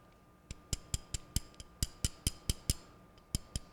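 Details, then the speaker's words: Masterwork M-4660 stereo turntable, idler wheel tire tapped after cleaning: sharp bright clacks like striking hard plastic; rubber petrified, hardened and glazed over. "It doesn't sound like hitting that. It sounds like hitting plastic. It feels about like this screwdriver does."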